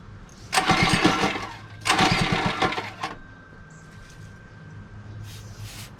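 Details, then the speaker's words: Mini bike small engine, pull-started after long disuse: two short bursts each fire roughly for a second or two, then die. The carburetor is dirty and must be removed and cleaned inside. "just sit for that cardboard is dirty dude she wants to start but she's just dirty once she's on fully it stays on i'll get back on she stays on for a second or two so we gotta take out the carburetor and clean it completely from the inside so it can finally stay on"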